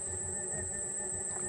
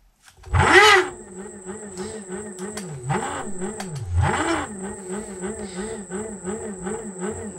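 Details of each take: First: Xiaomi M365 scooter hub motor running normally on all three phases: quiet even hum with a thin high whine, no knocking or grinding, before a phase is disconnected for comparison. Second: Xiaomi M365 scooter hub motor with one phase wire deliberately disconnected, running on two phases: rough warbling groaning hum with thin high whine, labouring and noisy at start-up due to the missing phase.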